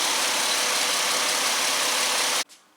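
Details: 2005 Ford Mustang 4.0 L after repairing bad cam sensor connector (had misfire, rough idle, P0340/P1336): even, steady idle with no stumble or miss until switched off; signal glitch gone, fixed.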